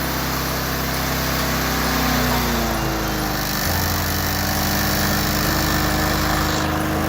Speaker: It should be right there.